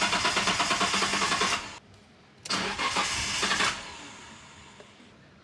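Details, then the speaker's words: R33 Skyline with the fuel pump connectors unplugged to relieve fuel pressure before a pump install: two bursts of even, rapid cranking that never fire, then silence; the engine turns over but has no fuel pressure. "so skyline must be a thirsty girl because you could hear it try to start but looks like uh that little bit of pressure in the line what wasn't even enough to start the car"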